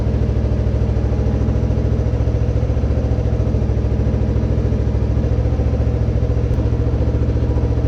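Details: Kawasaki 300 beater ATV, cleaned up and repaired (owner hoped a hole was the issue), idling before test ride: steady, even single-cylinder putter with no skips, knocks or hiss; runs great. Later sputtered briefly on takeoff, then cleared.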